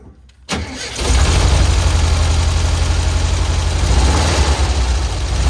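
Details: VW Kombi after the owner adjusted the timing belt to cure a strange noise: starts on the first try and settles into a deep, steady idle with no squeal or belt slap; sounds normal.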